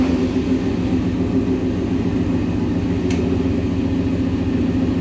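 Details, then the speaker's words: 1997 Chevy K1500 with a 5.7 Vortec and JBA headers, started after a module was replaced. It sounds the same: a loud V8 drone with an uneven, lumpy pulse and a fuel smell. Rough running, cause unconfirmed; the owner fears the engine is blown. "Well, it fired up. Sounds the same. Yeah. I don't know. So I'm not entirely sure that this is going to do anything. It sounds the same, smells the same."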